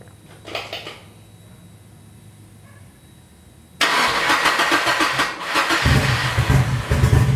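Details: Nissan 240 with a newly installed SR20, at its first start. It runs through an open downpipe on the original old gas. It cranks and catches, then runs loud and uneven with a lumpy, stumbling beat through the revs. Misfire; owner suspects bad gas, but the cause is unconfirmed.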